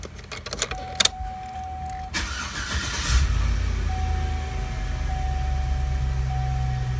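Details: Chevy/GMC truck V8 after oil pressure switch replacement: quick crank, then catches and settles into a smooth, even, low idle with no knocks or ticks; gauge now reads normally between 20 and 60 instead of pegged at 80.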